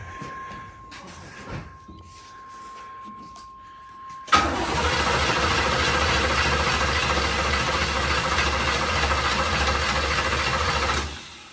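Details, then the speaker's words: Long-stored 1980s GM car (1987 Camaro Z28 or 1985 Monte Carlo), fuel squirted in: starter cranks steadily with no fire, not even trying; later traced to a power supply fault at the ignition switch feeding the fuel pump and ignition. "sounds like we got no fire it's not even trying"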